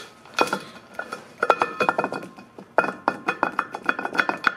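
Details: Front and rear driveshafts removed from the truck, u-joint rocked by hand giving bursts of sharp metallic clicks; a worn, loose u-joint on the bad side of the shaft; it is then replaced and the truck drives well.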